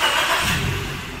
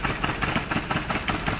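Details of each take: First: Maruti Suzuki Baleno petrol engine after fitting four new spark plugs for misfire, vibration, poor pickup and check light: starts and idles evenly, quiet, no misfire, rpm needle steady; check light still on. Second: Maruti Suzuki Baleno rough idle with uneven puffs, engine vibrating and check engine light on; pulling cylinder 4's connector changes nothing, so cylinder 4 is dead, coil or plug suspected; cylinder 3 coil already new.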